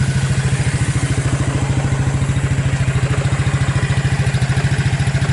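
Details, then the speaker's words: Abandoned Suzuki KingQuad 300 4x4 ATV after Mikuni to Keihin clone carb conversion, owner estimates about 1,500 hours/miles: steady, even thump about 3.5 beats a second, no misses; purrs right along, clean idle. "yes she purrs right along"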